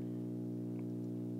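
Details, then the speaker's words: Steady low mains hum with even overtones from a Bang & Olufsen receiver, no input connected; appeared only about last night, louder with the cable unplugged; owner wonders about a grounding problem, cause unknown. "I'm kind of annoyed this hum wasn't here before I'll tell you that it wasn't here until probably last night"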